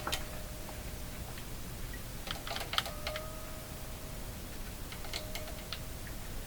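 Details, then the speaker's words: Hallicrafters TW2000 communications receiver after replacing an IF transformer with an NOS one: irregular sharp ticks and crackles over a faint steady tone; output tube suspected, not confirmed. "I'm assuming you can hear these weird sounds. cat. I think it's the output tube."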